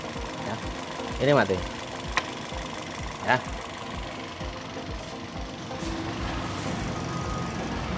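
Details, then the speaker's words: Toyota Yaris petrol engine idling unevenly with a lumpy, shaky beat; unplugging coil no. 2 brings no change, showing that cylinder's ignition coil is dead and misfiring; coil to be replaced. "kalau ini adalah yang nanti kita angkat ini nggak ada perubahan sama sekali ini mati"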